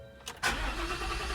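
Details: 2021 Ford F-150 that cranked but would not start, now starting after the fuel pump control module was disconnected and the pump powered: a brief crank, then it catches quickly into a steady, even run; normal start.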